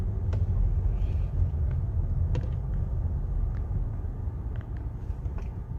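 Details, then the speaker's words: Car on slow test drive in quiet industrial area: sparse, irregular sharp ticks over low road rumble, customer complaint of clicking when driving slowly or braking; problem judged not in the car itself, a loose golf ball first suspected. "이렇게 틱틱 이렇게 소리가 나죠. 지금도 살짝 났고, 브레이크를 밟으면"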